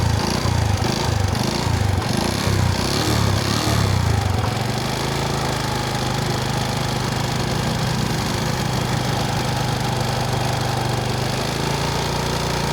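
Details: Honda Wave S 110 single-cylinder engine at idle: hollow, rattly knock on each firing beat, loudest at first then settling; piston slap, piston replaced.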